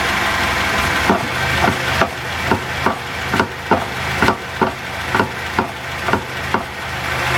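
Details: Raceland coilover strut that failed early, later replaced under warranty: hollow clunks about once a second over a steady engine hum, knocking each time the body rocks; worn coilover strut.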